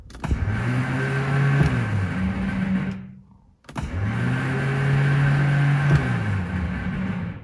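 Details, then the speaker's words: 1970 Morris 1300 barn find, sitting many years, starter hot-wired via a button: two ~3-second bursts of smooth free-spinning whine with no cranking beat; starter spins but pinion does not engage. "sounds like it's not engaging nope it doesn't want to I've tapped on it while also hot wiring it over here it does spin but it doesn't engage out"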